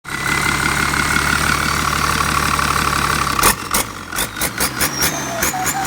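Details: HX35 tractor turbo on a diesel, at low-rpm early boost: steady running with a clear high whistle, then sharper rising whistles as boost builds. A healthy turbo spooling.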